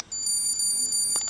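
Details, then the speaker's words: GroovyPets GP330 three-dog trainer receivers set to channels one to three, tone test: one continuous high-pitched beep just over a second with all three units sounding together. Receiver test beep, all units working. "you can hear all three of them go off so let's see which one is the first one"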